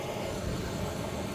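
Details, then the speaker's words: Trion Herrmidifier fan-powered humidifier running normally: quiet steady low fan hum with faint airy rush inside the unit, no knocks or rattles; water trickling down the drain while running is also normal. "all right we have the unit running now and I can hear the fan running inside of here barely but but I can hear"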